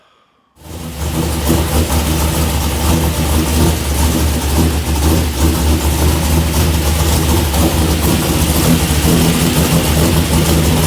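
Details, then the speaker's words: Truck after repair of a bottom-end rattle: it starts into an even, steady idle with no knock or rattle. The noise was traced to a couple of loose torque converter bolts, now fixed. "No, I can already tell it's fixed. It's not rattling."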